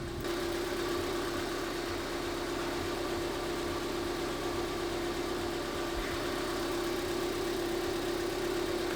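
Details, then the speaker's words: Car AC with high-side pressure switch connected: steady engine idle with smooth constant compressor hum as it engages, vent air falling to about 9–12 °C; normal AC compressor operation. "Ahí ya se activó el compresor, ya se escucha."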